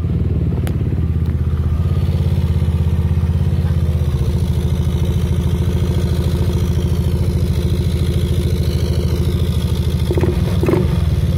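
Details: Yamaha Aerox 155 scooter after fitting a velocity stack, air filter off for washing: steady, even putter at idle with regular pulse, no ticking or misfire; engine sounds healthy.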